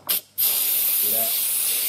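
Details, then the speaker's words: Instant Pot-style pressure cooker after the water test, valve moved from sealing to venting for quick release: short hiss then steady high rushing steam hiss, normal venting until the silver pin drops. "so remember it's on sealing that we want to go to venting so we're just gonna move it to the side"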